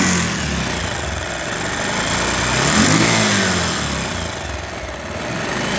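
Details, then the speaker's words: Very old Bajaj Pulsar single-cylinder motorcycle: running with busy fizzy top-end chatter over the exhaust; piston rings still fine, rattle from worn rocker washers and slack timing chain, valve train noise before repair. "তো বিষয়টা হলো যেটা, এই বাইকটা আসলে অনেক পুরাতন, তো এই বাইকটার ইঞ্জিনের সাউন্ড খারাপ।"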